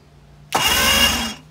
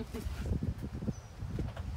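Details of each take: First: 2005 Mercury 115 two-stroke outboard, apparently winterized, cranked with spark plugs out and oil sprayed in cylinders: starter spins it about a second, fast even whir, no binding or clunks; turns freely, not seized. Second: 2005 Mercury 115 two-stroke outboard on a 17ft Mako cranks, then runs raggedly for a few seconds on starting fluid and dies; spark is confirmed.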